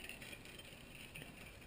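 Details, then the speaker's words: Bicycle front disc brake that squealed, treated with Squeal Out anti-squeal deglazing paste brushed on both rotor sides: dry, gritty constant hiss and scrape as the wheel turns, the paste grinding into the pads as intended. "We can hear we have constant scraping there"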